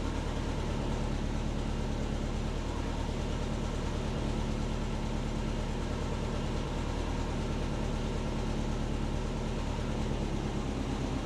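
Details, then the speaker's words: Subaru Forester SF5 turbo converted from automatic to 6-speed manual, reverted to base fuel map: steady, even low idle rumble with no pops, misses or backfiring; running much better than before. "I'll start her up and you can just hear that it's so much better so much better"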